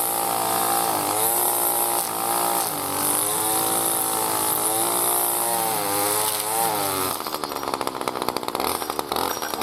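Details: New B&Q 25cc petrol two-stroke strimmer cutting grass after a choke-assisted start with choke now open: a high buzz that revs cleanly then holds speed as the line bites grass. Normal, strong, healthy running under load.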